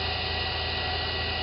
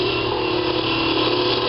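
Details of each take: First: Wood lathe turning fishing rod handles, running at full speed: steady even hum with faint high tone, almost no vibration, no knocks or wobble; normal running. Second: Wood lathe with the curved scraper: motor hum sags in pitch and loudness as the scraper's wide cutting area bites, then recovers; motor bogging under load.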